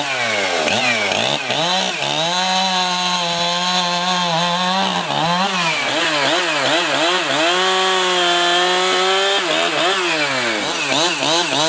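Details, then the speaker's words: Jonsered 2071 Turbo 71cc two-stroke chainsaw, about 1997, Walbro carb, 3/8 chain, cutting logs: high scream bogs and recovers as each cut loads it, revving cleanly back up. Normal running under load. "What I'm going to do now is start it up and try it out."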